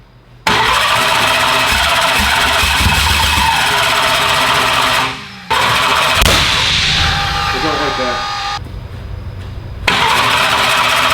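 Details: Car "Slick Rick" first fire-up attempts: long cranking broken by sharp bangs and pops, never catches; backfiring with a green flame seen, timing suspected.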